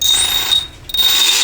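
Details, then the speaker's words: RC brushless outrunner motor (the outer can spins) under bench troubleshooting with its sensor wire connected: a thin high-pitched whine that drops out for a moment and then returns unsteadily. The motor barely turns over, cause unknown. "It's working, but barely though. I'm wondering if that's from. Why is that?"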